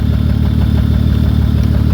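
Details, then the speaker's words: 2003 Honda Odyssey 3.5 L idling, catalytic converter disconnected, during a cylinder drop test: a slightly uneven low pulse, and engine speed doesn't change with that coil unplugged, so the coil is confirmed bad (shorted secondary winding). "So cool. No reason to move the plugs around. I identified this coil as being faulty, no question about it."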